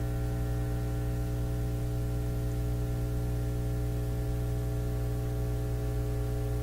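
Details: Nordmende Elektra F13 valve radio with fading output, earlier a sudden loud roar, now running while output-grid voltage is watched: constant low buzzy hum, steady level, no crackle; power-supply hum suspected, not confirmed.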